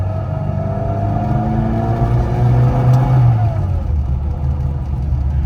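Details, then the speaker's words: 1997 Rover Mini Cooper 1.3i, fuel-injected, driving after a downshift from third gear: smooth even engine note climbing steadily in pitch under load; quiet, refined, normal acceleration. "Yeah, it sounds awesome. I mean, this is definitely the most This is definitely the quietest and most refined Mini that I've driven uh out of the four that I've had."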